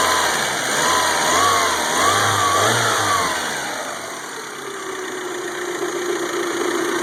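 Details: 1992 Toyota Camry 4-cylinder after engine rebuild (new distributor, cap, rotor, plugs; 200 psi compression): idle surges and stumbles, then misses more until it dies, hard starting when hot; misfire.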